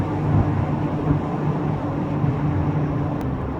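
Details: VW Golf MK3 Cabriolet driving at about 55, also coasted in neutral to rule out the engine. A droning hum tied to road speed under the road rumble, its pitch changing with speed: rear wheel bearing whine, to be replaced.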